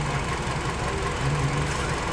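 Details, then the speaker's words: 2005 Hyundai Sonata 2.4 petrol, 169,000 on the clock, check engine light on: uneven stumbling idle with a recurring skip; cylinder 4 misfire traced to a dead ignition coil, confirmed by swapping coils between cylinders 3 and 4. "we've got a dead coil so like I showed you before even though the cut line was okay it doesn't mean that that cool is actually firing the plug properly"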